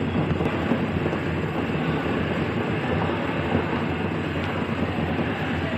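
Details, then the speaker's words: Samsung washing machine spinning at 700 RPM before repair: steady heavy rumble with rough rattling drone, no pitch change; the spring basket mount's screw holes were worn, so the drum was loose, fixed by taping and tightening the screws. "और जैसा कि आपने देखा कि हमने आपको दिखाया इसका फॉल्ट, इसका जो ये स्प्रिंग बास्केट होता है ना, ये वाला, इसके स्क्रू की जगह ख़राब हो चुकी थी तो हमने इसके स्क्रू पे टेप चढ़ा के वो इसमें टाइट कर दिया है और अब ये मज़बूत है।"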